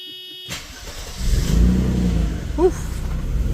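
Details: Mercedes-Benz W124 300E 2.6 M103 petrol, revived after years parked, previously sputtering and surging; brief crank then catches and settles into steady low idle with no sputter or hunting — normal start and idle.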